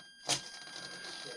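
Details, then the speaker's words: Trojan T-28 RC warbird aileron servo with a bad tooth on one gear: high servo buzz with a sharp pop as it moves, gear skipping; still working but stripping out, to be replaced before flying. "got a bad tooth on one of the gears in the servo there it goes so you don't want to be up in the air and have that thing i mean it's working but you don't want to have it up in the air and finish itself out"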